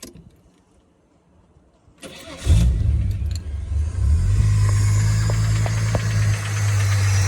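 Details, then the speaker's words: L67 engine just restarted: cranks and catches, then settles to a rough idle with a faint light tap about four times a second from the front; seller suspects timing chain backlash from the balance shaft, unconfirmed; engine ticking. "So, there is a slight tap that comes from the front end of the engine. I'm not 100% sure what it is."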